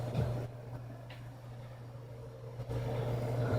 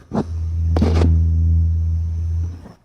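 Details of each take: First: PC power supply after fixing coil whine by gluing the buzzing coil with hot glue or neutral silicone: only low steady hum, soft fan air and a few clicks, no high squeal. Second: PC power supply opened up, PC idling, microphone placed down inside: steady low electrical buzz with a faint high whistle, coil whine from one coil. This is before the hot-glue fix.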